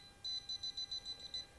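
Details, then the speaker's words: Non-contact voltage detector on a water pump cable, tracing the live wire. Eight quick high-pitched beeps, then silence where the tester passes the break. Broken cable is why the pump won't run. "Hai jadi sampai sini aja akan bunyi karena mendeteksi kabel yang pas saja"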